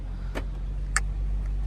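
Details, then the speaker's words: Mahindra Scorpio N after new rear brake pads, road test: only low, even road rumble with faint clicks. The earlier chattering noise after a snow drive is gone, with no scraping or grinding from the brakes. "अब तो बिल्कुल नहीं आ रही है एक बार of the camera भी अच्छे से मैं टेस्ट कर लूं यार"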